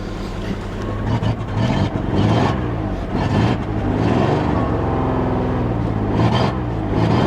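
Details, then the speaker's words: 1994 Ford F Super Duty IDI on ancient fuel: engine revs unevenly and stumbles with lumpy firing, running rough and smoking from the exhaust; fuel suspected; transmission also stuck in park. "Yeah, it runs pretty bad. It runs pretty bad. Shut it off. I mean, it starts right back up. It runs awful."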